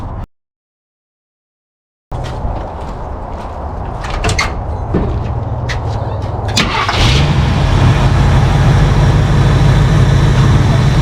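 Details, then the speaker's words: 1968 Ford F100 revived after 12 years parked, new cheap carburetor with leaking base gasket, choke suspected: V8 catches and holds a fast, even idle well above normal; high idle, cause suspected, not confirmed. "and we'll fire it up and see if it runs any better but it's just idling way too high"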